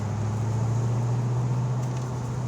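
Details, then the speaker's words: 1986 Ford Mustang GT 5.0 L, second-gear shift pulling out of a turn: steady low drone through the shift, no clunk or knock, rear end making no odd sounds. Normal gear change. "and that was a second gear transition from that turn very smooth there's no clunkiness rear end's not making any funny sounds"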